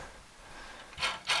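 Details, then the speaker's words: Busy Bee B324 bandsaw after new 6202ZZ bearings in the motor and wheels: a quiet run broken by sharp, intermittent scraping rasps from the blade dragging on the guide bearing. The motor also makes a noise, suspected to be its dust cover. "That's our bearings mostly. Yeah, it's dragging on that guide bearing."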